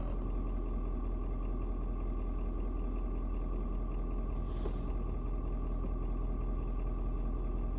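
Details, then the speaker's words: Ford Super Duty 6.7 diesel after cold start at 56 degrees, warmed up, rpm dropping slightly: low, smooth rumble holding steady with no knocks or stumbles; normal warm idle. "but like i said it drops down just a little bit you know pretty much let me know that hey yeah it's uh it's good to go"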